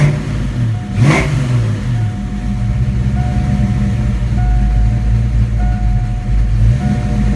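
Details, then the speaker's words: 1987 V8 after Promaxx heads install, rockers previously noisy: steady idle with one quick throttle blip, no ticking or clatter from the top end; normal running, now good. "So, as you just heard, she is definitely good now."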